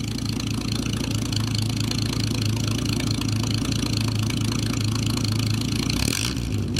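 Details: Nash, positive-ground car, just made roadworthy after rust and wiring issues: exhaust heard after start-up, a steady, even low burble with smooth regular pulse and mild rumble; engine runs great, normal healthy exhaust note.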